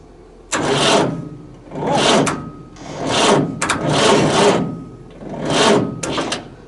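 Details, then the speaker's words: Massey Ferguson 1080 tractor, bought as a non-runner for parts, with fuel, battery and wiring problems and the wiring bypassed: sluggish starter groans, engine turns over slowly and never catches; owner suspects a poor earth lead. "right well she turns over um [Music] uh i wonder if i could get a better earth lead on here um might get a bolt on earth onto somewhere just she seems to want a bit more but at least we know she turns over"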